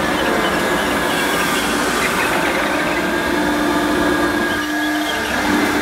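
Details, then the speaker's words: Hoover U1222 Turbopower Plus upright vacuum on plush carpet: motor hums steadily with a thin whine over rough hiss, motor bearings sounding dry; brush not pulling because the drive belt is broken and not yet replaced. "oh yeah obviously yeah it doesn't work on this plush carpet because of the belt the belt is uh it's kaput a new belt and you know you wouldn't hear that noise"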